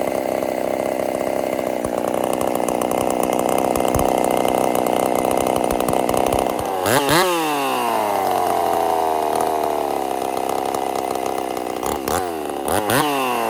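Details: Husqvarna 50 Partner 5000 hybrid race chainsaw, first cuts after a rebuild with a machined piston taper, in wood too big for the bar: steady high scream in the cut, free revving between cuts, no misfire. Normal running under load.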